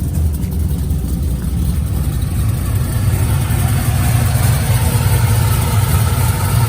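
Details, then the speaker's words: Cold start of cammed 35th-anniversary SS with full exhaust and 3200-stall converter, after new spark plugs and mail-order tune: deep, lumpy V8 idle, steady low rumble, no knocks or ticks, slightly high; first start without giving it gas. "That cold start though. This is the first time I've been able to start this car without me being inside and giving it gas."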